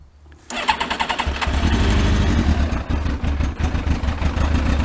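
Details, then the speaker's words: Yamaha Thunderace motorcycle with water leak, carbs refitted, fuel pump priming: starter whirrs briefly, then the engine catches and settles into a steady, even idle; a normal start with no water in it. "Right, anyway, that's running, so I won't run it too long, so like I say, there's no water in it."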